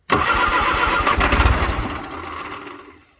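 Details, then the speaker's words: 1962 Vauxhall Victor sitting 25 years, after cleaning points, changing the coil, adding gas and freeing the gas pedal: slow, uneven cranking on a weak rebuilt starter with a few firing pulses that nearly catch, then fade; possibly out of gas. "might be out of gas but it's trying it is definitely trying and the start you might hear the starters really weak"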